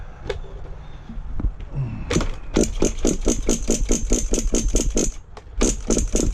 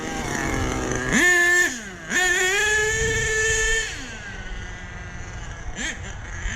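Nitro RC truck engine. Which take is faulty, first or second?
first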